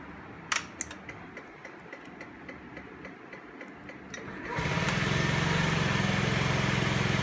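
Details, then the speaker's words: 2017 Honda Ruckus after fuel pump and fuel filter replacement, previously bogging off idle: clicks then catches into steady even idle, better throttle response on revving; normal cold start and idle. "Starts up good, which it did before, but let's give her some gas and see what it does. That sounds better, definitely better throttle response."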